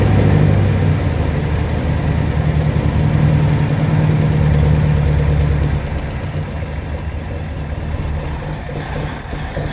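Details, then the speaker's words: 1969 Mercury Monterey 390 V8, first start in 16 years, carb primed, pulling fuel from tank: deep even burble revving then settling to steady idle, no ticks or knocks; running normally, needs points cleaned. "she's idling without a problem um obviously pulling fuel um because it's running on its own um there's no noises in this engine there's no ticks there's no knocks no nothing like that"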